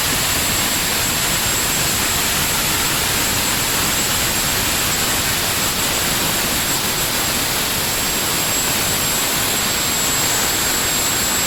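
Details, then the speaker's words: Honeywell GTCP 331-350 APU (1,400 equivalent hp, Airbus A330/A340) in a test cell, at 100% speed, about 41,700 rpm, vibration acceptable; steady high-pitched rushing roar with fixed whistle — normal APU running at governed speed. "okay so we're up and running and on speed now so you can see here it says 100 rpm"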